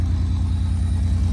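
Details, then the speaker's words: 1985 Pontiac Fiero GT idling with a deep, slightly uneven throb and a faint stumble, a skip on one cylinder; plugs and wires already replaced, distributor cap and rotor checked; bad cylinder or fuel injector suspected; exhaust leak present. "There's a skip. Slightly concerning because someone's already changed out the plugs and the wires."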